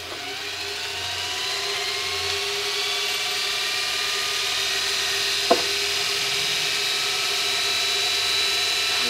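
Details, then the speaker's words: Kostov 11-inch DC series interpole EV motor on the bench after brush and brush ring replacement, new straight-cut brushes: steady, even hum with slight rising whine, no crackle; running smooth, not terribly loud, normal. "you have it things running smooth and actually not terribly loud"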